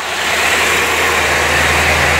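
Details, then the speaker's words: 1990 C4 Corvette V8 after blown head gaskets, valve adjustment and an oil change to remove water-contaminated oil: even, steady idle with a smooth hum, no knocks, misses or smoke; timing still to be set. "She's running pretty good now. Still got to set the timing, but she sounds pretty good."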